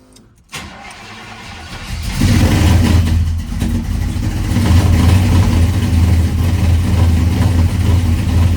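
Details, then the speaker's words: 1985 Chevy C10 cammed small-block V8, ACES EFI first start after tuning changes (value bumped to 25, idle ignition timing 15): cranks, catches and revs, then surges unsteadily and still won't idle; running rich. "still doesn't want to idle."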